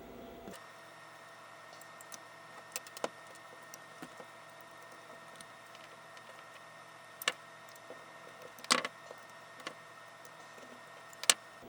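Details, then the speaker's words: Cipher 9-track tape drive encoder, after freeing the stuck encoder, removed from the drive: quiet, even whir with only a few soft ticks and no catching or dragging; encoder now spins freely. "Like, you can totally hear how it's freed up now. So, we should have zero problems with this."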